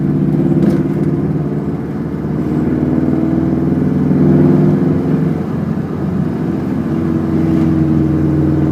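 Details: 2006 Subaru WRX: fairly loud tapping around 1500 rpm under light load, disappearing above 2000 rpm; engine burns significant oil and may have run low on oil; owner suspects rod knock, unconfirmed.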